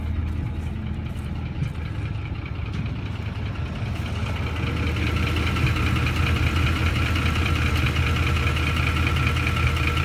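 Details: Ford F150 at idle: even idle with a light, regular tapping about two or three per second riding over the engine; owner suspects VCT phaser or timing chain tensioners, source unconfirmed.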